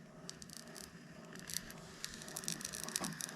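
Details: Brand-new Shimano SpeedMaster 16ii saltwater reel, fresh out of the box, makes faint, irregular crackly ticks, about two a second, when reeled slowly; a scratchy gear noise whose cause is not yet identified during disassembly.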